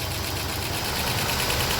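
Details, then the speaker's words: 2005 Toyota Highlander after crank-no-start repair: busy, uneven, lumpy idle with faint tapping; mechanic suspects bad spark plug or skipped timing, plans to replace all spark plugs; rough idle. "so I'm stuck between a bad spark plug or a skip timing so I would need to replace all this spark Lo entirely and see what happens"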